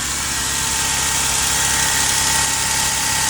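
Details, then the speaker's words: 2003 Toyota Sienna after catalytic converter replacement, previously extremely loud: engine idles quietly and evenly under a soft hiss, no exhaust roar or rasp or leaks; normal idle. "We're gonna crank it up, See how she sounds for the first time? Hopefully she's not going to be loud. Oh my goodness, that's quiet. Wow."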